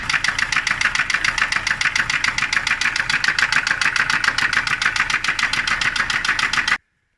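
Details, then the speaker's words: SsangYong Kyron 2.0 diesel at idle: a fast, sharp metallic knocking over the diesel clatter, steady until shutoff. Cause unknown; the cylinder head will likely have to be removed to investigate. "итак всем привет сегоднишний у нас пациент сань yong kyron дизель 2 литра издает устрашающие звуки при работе двигатель сейчас мы заведем послушаем"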